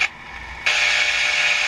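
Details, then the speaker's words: WWVC standard frequency comparator receiver, probe at the 455 kHz IF filter output: raspy fluorescent-light buzz cuts in about a second then drops out, showing the IF amplifiers work; the oscillator is suspected 500 kHz off. "we can hear all the buzzing from the fluorescent lights. So that part of the IF chain's working."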